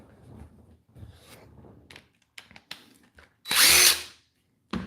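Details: Makita cordless drill motor, being compared with a spare drill bought for repair parts: brief high-pitched bursts between handling clatter, revving up cleanly and evenly with no grinding or bearing rumble. Motor judged in good condition.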